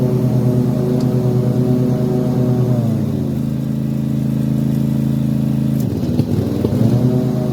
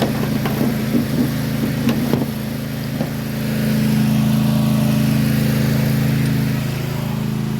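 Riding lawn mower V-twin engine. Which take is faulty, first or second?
first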